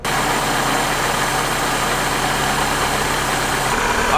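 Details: Supercharged Mazda MX-5 NA6 with rough idle after a service and a disturbed idle screw, being re-set: steady idle hum with a faint uneven shake, not settling, around 1,000-1,100 rpm; still idling rough, cause unconfirmed.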